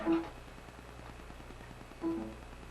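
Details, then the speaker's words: Failing hard drive in a docking station: faint, rapid even ticking with two louder chirps, showing the drive has completely crashed and files are unrecoverable; clicking hard drive. "That is from one of the drives. that means the drive has completely crashed. If you hear this on Windows, you are not going to recover anything off this drive."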